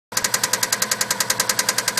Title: Part 3 subaru ej20 engine knock